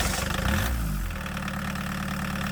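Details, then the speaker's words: 1989 Chevy S10 pickup with a swapped 1.6L VW diesel, starting after the glow plugs were heated and the fuel-line air was purged with a power drill: it catches within a second and settles into an even, steady idle. "Wow, purging the air from the fuel lines with the power drill made a huge difference."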